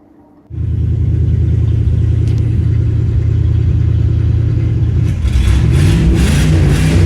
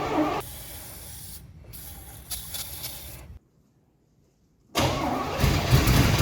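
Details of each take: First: 1982 Pontiac Firebird Trans Am 305 V8, after 12 years sitting, fuel line flushed and fresh gas added: catches and settles into a steady deep rumble with a few revs, runs on its own; coolant leak afterward, soft plug or cracked block suspected. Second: 1982 Pontiac Trans Am 305 V8, unrun for 12 years, air cleaner off before spraying carb cleaner: the starter churns at about four beats a second, stops, cranks again, but the engine never catches; crank, no start.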